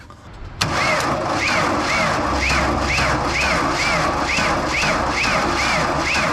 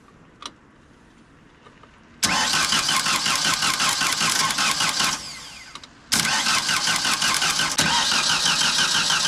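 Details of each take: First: 1992 JLG 60H 4x4 boom lift with Ford LSG 423 gas engine, not starting; labored heavy cranking at about two strained turns a second without firing, start button seems to stick; slow cranking from a failing starter motor. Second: 1992 JLG 60H 4x4 boom lift with a Ford LSG-423 gas engine that previously wouldn't start. After some work it turns over much faster: two strong, even cranking bursts at about three beats per second, and it catches.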